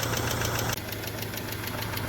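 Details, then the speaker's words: Subaru Liberty wagon that sat years on a farm, charging at 14 V: light, quick ticking over a steady idle rumble, with some smoke. The owner suspects low oil causes the ticking at idle. "look at her go there's some noise in the drive train it's probably cuz it's just low and [ __ ] oil but she's running she's a goer"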